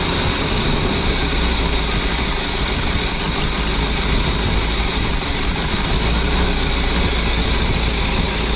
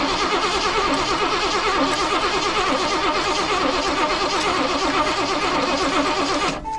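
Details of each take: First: Birchaven motorhome V8, Quadrajet carb, after 12 years stored, fed from a gas can, radiator cap loose: settles into steady, even idle with deep low rumble, no knocks or ticks; oil pressure up nicely, normal idle. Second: Birchaven 23-ft motorhome, Quadrajet carb, first runs after sitting 12 years: starter churns steadily six seconds without firing; fuel pump apparently not pulling fuel up, so bowl refilled by squirt bottle.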